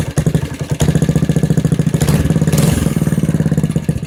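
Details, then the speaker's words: Briggs Intek 206cc 6hp single in a Doodlebug DB30 minibike, just built, with a new home-made side exhaust and old tank zip-tied on: quick, even putting with a brief rev blip midway; normal running. "Okay, so I'm still waiting for the new gas tank to come in, but I'm just dying to hear how this new exhaust sounds."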